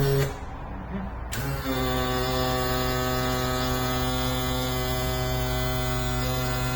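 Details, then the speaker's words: Yamaha F40 outboard power trim pump motor, previously slow and loud, after trim cap tightened to 90 Nm and repair: kicks on and holds a steady, even hum at constant pitch, no straining or grinding; working normally. "Excellent. Seems that after a lot of deliberation I managed to fix it."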